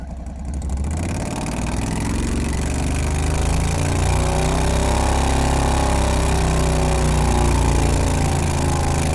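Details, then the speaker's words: Renault with a 670cc Predator engine and CVT drive, new exhaust, governor removed, running slightly lean, launching hard: the engine note climbs evenly with no shudder. Smooth clutch engagement; the earlier clutch chatter is solved. "the car launches hard and it's as smooth as butter so it looks like the issue with the clutch chatter has been solved"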